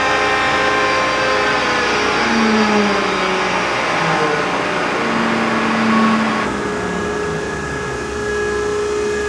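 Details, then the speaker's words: John Deere Green F12 090 hydraulic motor after teardown and reassembly, run unloaded at about 2300 RPM, same as the earlier test. Smooth, even hum with no squeal or whine; the customer's reported noise is not reproduced. "That's That's like 2300 RPM. And last time we went up to 2300 RPM. Oh, the same. We don't hear the noise."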